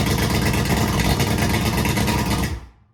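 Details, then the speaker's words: 2003 Yamaha 225 Vmax two-stroke outboard running on bad fuel after a compression test of 120, with one cylinder at 115. Busy, even running for about 2.5 seconds, then a clean cutoff with no misfire. Normal idle, though the engine still needs major maintenance. "there you go YouTube it runs now we just need to do a huge maintenance on it"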